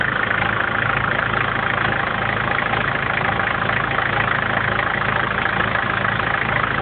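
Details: 1994 BMW 318 TDS diesel: steady idle with an even clatter of about two beats per second; some engine noise present, cause not identified.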